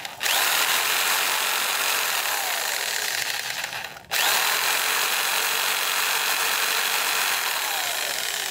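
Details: Jigsaw after no-power repair, guide reinstalled, final blade test: loud even high buzz, brief stop near four seconds then restart, runs smooth and steady with no wobble; normal running.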